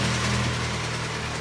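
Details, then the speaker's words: 2011 Hyundai ix35, G4KD engine, front-wheel drive, automatic, 157,000 km, running on gas (LPG), idling with a hard dull knock: piston slap from badly scored cylinders, may need resleeving. "как хорошо брякает прям замечательно стучит"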